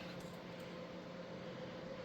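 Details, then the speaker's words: PC with Gigabyte motherboard, 2 TB drive unplugged, tried in all three slots: steady low fan whir and faint hum, no drive or beep activity; powers on but will not POST. "It's not doing anything. And I tried it in all three of the slots, but it's in the slot that they say to put it in, but it it does not want to start."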